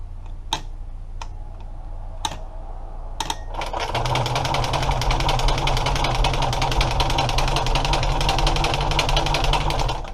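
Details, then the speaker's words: Chrysler 318 engine, carburetor not hooked up, ether squirted straight into the carb opening on an 845 cranking-amp battery; after a few clicks, steady cranking about three turns a second, no firing: cranks but no start. "Maybe we're gonna squirt ether in. I could squirt ether straight in where the carb goes. Yeah, same thing."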